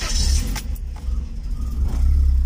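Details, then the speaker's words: Stratus engine idling after a head repair, new tightly tensioned belt, repaired alternator and new spark plugs: a deep, steady, smooth rumble with the earlier belt squeal gone; the owner still suspects the injectors need cleaning. "porque le puse bujías nuevas y vean ya no se oye el chillido de verdad qué alivio en serio qué alivio"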